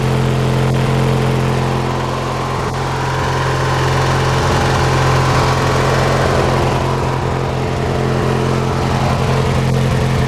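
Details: Hechinger by MTD riding tractor after repairs and key switch rewiring: small single-cylinder engine holding a steady even idle, constant low drone, no misses or knocks; running normally.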